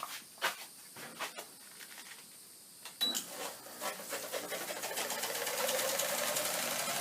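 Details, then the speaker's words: Haier window air conditioner tested open on power: rhythmic scraping rasp as the fan blade rubs against the inner styrofoam housing; fix is wedging the housing back for clearance. "that sounds pretty good that's our sound it's just this inner housing styrofoam housing rubbing against that fan so if we wedge this back making sure there's good clearance that should eliminate our problem"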